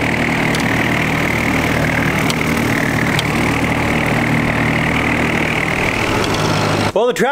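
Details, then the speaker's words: Tractor mowing after its fuel-draw problem (stumbling under load) was fixed: steady, even engine drone under mowing load with no misses or surging, then shut off; runs healthy. "ended up doing totally great um did great i got everything mowed"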